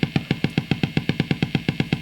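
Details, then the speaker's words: Marshall JTM45 MkII model 2245 valve amp after a few minutes' warm-up, guitar strummed: fast regular thumping about seven pulses a second from the speaker, cause unknown at this point, later traced to bad solder joints. Motorboating oscillation. "oh i can hear that straight away let me kind of motorboating sound interesting"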